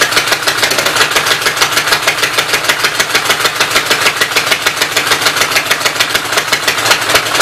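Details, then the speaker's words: Fast, steady clatter about three beats a second with loud open valve-gear rattle on the Westchester engine, valve cover off; owner suspects smoking because a block was knocked out, oil going up from crankcase; top end needs rebuilding. "I think it started smoking because I knocked the one block out from behind it. All the oil's hanging out in the crankcase and going up around it."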